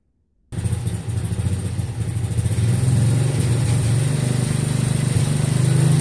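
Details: 1963 MTD Lawn Flite lawn tractor after ignition rebuild, starting for a drive/mowing test: engine catches and note keeps climbing, racing higher instead of settling; running too fast, owner says throttle and governor aren't quite right.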